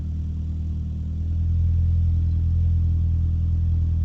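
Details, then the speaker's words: Mitsubishi Evo X GSR, Stage 3, E85 flex fuel, with misfire and no fuel pump prime: deep, even idle hum that firms up and steadies after starting as it warms; owner suspects a loose fuel pump wire. "Mira, aquí se está se está estableciendo. Aquí se está estableciendo."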